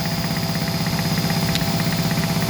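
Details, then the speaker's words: 15 kW generator at 120 V as battery charging load is switched back on after freewheeling, running cool: steady, even engine drone with a regular quick pulse, no knocks or misses; normal running under load. "We're going to start turning the load on. And you can see the charge controllers lighting up. Listen to the sound."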